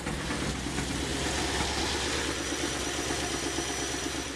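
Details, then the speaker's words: Engine running on gas with new automixer 4, after the valve was set fully closed during cranking: automixer reopened it correctly and the engine holds a low, steady idle without stumbling; normal idle. "we're back to a good smooth idle so it is working it is setting the uh the valve in the proper plac"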